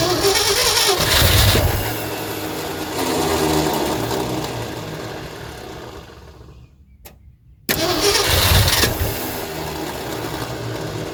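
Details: 1972 Ford F350 Custom one-owner abandoned truck, big-block V8, four-speed, cranking after the fuel line was reconnected to backfill the pump: steady cranking with catches that almost fire but never run. Cranks but won't start from fuel starvation; choke to be opened.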